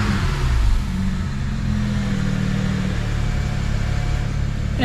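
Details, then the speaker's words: BMW E90 335i N54, oil at temperature after oil filter housing gasket and thermostat repair: engine climbs cleanly on a blip and drops back to a smooth, even idle with no ticks, knocks or rattles; healthy and responsive. "Not too many weird noises. In fact, I'd say no weird noises at all. It's quite responsive, to be fair."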